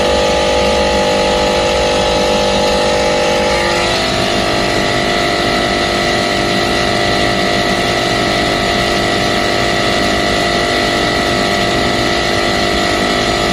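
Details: Loud, harsh droning whose tones jump in pitch a few seconds in, then hold; an AC compressor running rough with an abnormal, faulty sound.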